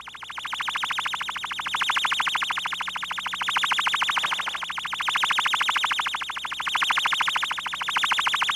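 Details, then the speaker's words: Ultraprobe 2000 ultrasonic leak test: warble tone generator on one side, scanning the other side picks up a fast warbling tone, about three pulses a second, penetrating the steel wall, indicating a pinhole leak site. "the same scanning method described earlier used on the other side of the test surface will pick up any escaping ultrasound indicating a leak site listen to the ultrasound penetrating the steel"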